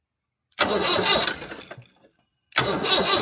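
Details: 1975 Land Rover Series 3 109" Perkins 4.203 diesel after head gasket replacement and valve job: catches promptly, settles into an even clatter, then restarts and runs steadily; normal start and idle.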